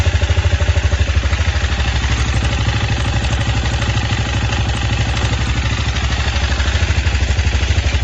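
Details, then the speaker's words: 164FMM single-cylinder motorcycle engine rebuilt after third-gear failure (new gearbox, cylinder, piston, carburetor); earlier knock traced to the crankshaft: now steady, even idle thump with no knock or clatter, bottom end sounds healthy. "вот я не знаю как будет работать так всё чётенько вроде"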